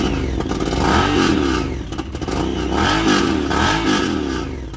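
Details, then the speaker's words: 2018 Honda Pioneer 1000-5 after fitting Hess Motorsports aluminum motor mount replacing driver's side mount with missing bolts: engine revs climb and fall smoothly, no banging or clunking, motor no longer jumps when revved; normal revving. "Now that was a fix. Before, I could do that and the whole motor would jump up as I revved it."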